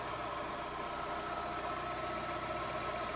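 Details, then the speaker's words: 2012 Fiat 500 Lounge (Cat S project car, sat outside about a week) idling during the damage assessment: a quiet, steady four-cylinder hum with no ticking, knocking or belt whine. It runs really nice and smooth, a normal idle. "I'll put the cover back on but running really nice really smooth"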